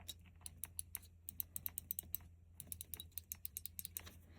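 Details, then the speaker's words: Burnham Independence steam boiler (model PIN5SNI-ME2, 2008), damper motor: the stepped cam trips three micro switches, giving crisp clicks in uneven bursts over a low hum. Normal operation. "It has this little stepped cam on it and you can see there's like three different positions and those correspond to those three micro switches and you can hear them clicking."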